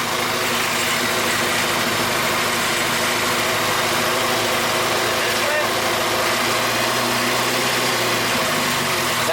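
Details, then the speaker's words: 1G GSX AWD big-turbo 4G63 build, after partially fixing spark plug wires: engine settles into steady, even idle with no stumble or skipped beats; all cylinders firing. Normal idle. "so we got some halfway fixed wires right there [Applause] sounds like a fully firing 4G to be"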